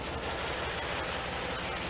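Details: 1988 Pontiac GTA, 45,000 original miles, new fuel pump fitted, warming up a few minutes after cold start: uneven running with a faint quick metallic ping; timing seems hot, mixture suspected over spark; cause unconfirmed.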